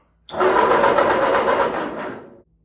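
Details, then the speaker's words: 1946 Ford 2N tractor fitted with new rings, new coil fitted after the old coil's wire terminal broke: about two seconds of buzzy starter cranking that turns over but never fires; owner worries about over-cranking and may oil the cylinders. "I've cranked on this too much, so I'm gonna have to probably pull the spark plugs and put some oil in the cylinders, because definitely don't want to screw it up."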